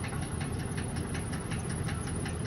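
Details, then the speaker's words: 2012 Ford work van at auction: a steady rapid knock, about eight per second, over the low engine rumble. Described as a definite engine knock that does not change when shifted into reverse and forward. "you can hear that it um has a knock on it on the uh engine that noise that you are hearing is uh engine noise"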